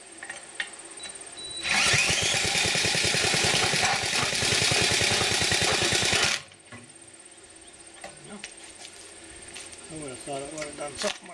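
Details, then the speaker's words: Auction power trowel with a Briggs 6S engine, parked outside, spun over by rope and then a drill; rapid even chugging for about four seconds, then it dies without catching; owner suspects a bad spark plug. "maybe that spark plug isn't any good either"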